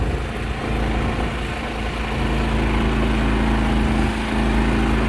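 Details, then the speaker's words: Powerhorse inverter generator on a rack powering an RV with AC running, about 19 amps on one 110 V leg, heard from outside near AC and generator: steady constant hum, slight rack vibration; normal running under load. "when i stand over here i hear the ac unit and the generator i can hear the generator a little more but on the inside i wouldn't be able to hear it"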